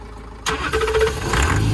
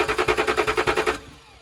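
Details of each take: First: Range Rover diesel, previously non-starting, cranks and catches after a short crank, settling into a quiet, even low idle with no knocking; confirms diesel fuel starvation, owner hopes volume control valve. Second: Range Rover diesel, fuel system bled with new tool, good pressure at valve: starter spins in fast even pulses but never fires; crank no-start, fuel starvation suspected.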